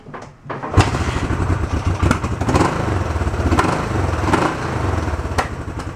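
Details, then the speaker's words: Barn-find 1971 Honda CB350 twin, restored carbs, sat an hour and a half so not cold, started without choke: fires straight away after a quiet crank and settles into an even steady idle; starts nice, runs healthy. "I can live with that starts nice"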